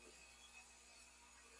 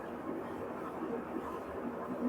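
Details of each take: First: Brastemp washing machine tested without water: a faint steady low mains hum from the energized fabric-softener inlet valve (valve two) coil, quieter than valve one, working normally. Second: Brastemp washing machine, empty, during spin test: loud, steady roar and hum, far louder than its normal spin and worse when loaded; suspected worn spin bearing, not confirmed.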